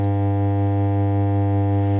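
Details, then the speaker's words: Blackstar HT5R valve guitar amp after FET replacement, no change, guitar strummed: loud steady 50 Hz mains hum with buzzing overtones and distorted output; fault traced to a failed HT smoothing capacitor. "No change there. I'll strum the guitar. Horrible distorted, hugely hummy sound."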